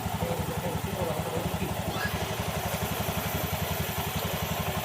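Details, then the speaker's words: Honda Beat CVT at idle after cleaning and refresh service: even idle thump with no rattle or scrape from the belt side; belt play good, CVT quiet and healthy. "Hindi pa naman siya maingay na maingay. Tahimik pa rin naman."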